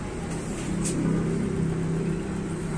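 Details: Kawasaki Barako 175 single-cylinder motorcycle after the camshaft bearing was replaced to cure a noisy cylinder head: smooth, steady low idle hum, no top-end ticking; the noise is gone.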